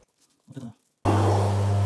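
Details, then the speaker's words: Washing machine that hummed and wouldn't spin, after its drain filter was opened and cleaned: after a quiet moment it starts with a steady, even low hum, running normally. "работает"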